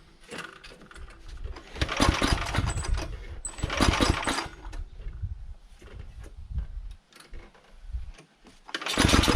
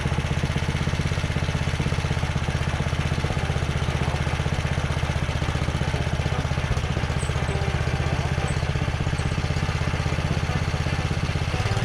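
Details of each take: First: Carter 2435 go-kart fitted with a 12.5 HP Tecumseh engine swapped in from a Sears Craftsman snowblower, governor linkage disconnected, no air box: engine fires and revs in surges, drops away between bursts and stalls when throttled, carburetor wide open. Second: Carter 2435 go-kart after swapping its 5 hp Briggs & Stratton for a 12.5 hp Tecumseh from a 33-inch Sears Craftsman snowblower, carb throttle clamped. It runs a steady, even single-cylinder putter at fast idle with no stumble or hunting, running normally.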